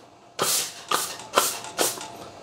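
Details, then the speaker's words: La Marzocco Linea Mini espresso machine at temperature and pressure after annual service with steam valve rebuild: four short hissing gushes as the steam valve opens, just moisture sucked through the tube, completely normal. "it's just sucking a little bit of uh moisture through the tube that's all that noise is it's completely normal"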